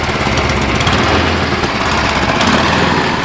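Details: Cub Cadet 1030E snowblower, 10 hp engine, auger engaged, carb needs cleaning: loud busy single-cylinder clatter holding steady speed as auger churns, pulling evenly; normal running under load.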